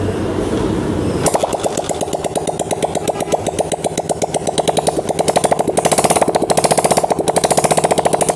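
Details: Honda CG125 motorcycle after head/top-end repair and reassembly: starts after a second and settles into a quick, even, steady single-cylinder beat, idling well at low speed; normal idle.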